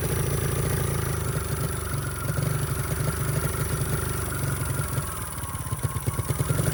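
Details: 49cc mini bike that sat since bought at auction: after a carburetor rebuild it buzzes fast and steady with no throttle, stuck at high idle even with the throttle screw fully backed out. Owner suspects an air intake problem; cause unconfirmed.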